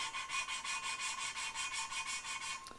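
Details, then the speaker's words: Hand lapping valves into the head with light fingertip pressure, back-and-forth strokes nearly three per second; the sound has gone from coarse grinding to soft and smooth, showing the lapping compound is worn out and almost due for changing. "ack and forth and i hear how it's smoothing out so we're starting to get through the usefulness of this batch"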